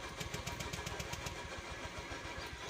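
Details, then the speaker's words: Honda Beat scooter that died suddenly and won't start: starter spins the engine with even rapid pulses, about four a second, but it never fires; crank no start, fuel pump suspected, not confirmed. "kali ini kita kedatangan Beat yang tidak bisa starter Atau Mati kita starter dulu nggak bisa hidup ya"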